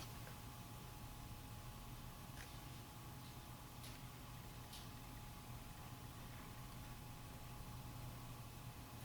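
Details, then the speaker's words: Coca-Cola mini refrigerator new Cooler Master replacement fan wired directly to 12 V: faint smooth constant whir with low hum, no ticks or rattles; very quiet, spins fast and blows well, fan works. "huh very quiet so you're the fan of spinning"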